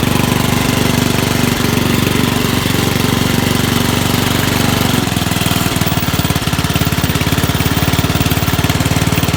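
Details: Dump-find Rugg carpet-cut tractor moving under load outside; muffler toast, owner expects less backfire once replaced. Steady single-cylinder thumping, slight pitch change midway, no misses or pops; normal running under load.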